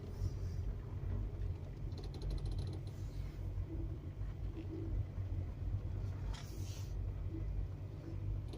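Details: VW Touran turning at low or no speed: low cabin rumble with short creaking, rasping bursts as the wheel turns slowly, also slight noise over bumps; owner suspects strut mount or sway bar link, unconfirmed.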